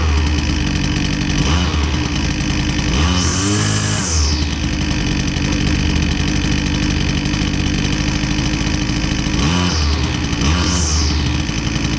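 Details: Husqvarna 122C two-stroke string trimmer that previously bogged and needed choke feathered, after repair with fresh fuel: steady idle, snaps cleanly up in pitch on each blip and drops back; runs evenly without choke.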